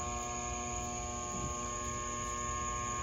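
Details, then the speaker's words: Shop fan made in 2003, about 20 years old, on low setting; steady electrical hum with strong buzz and no rising whoosh of blades; motor energized but rotor stalled, locking up instead of spinning. "so just to prove to you this thing is kind of humming but kind of spinning but it's it's not healthy at all"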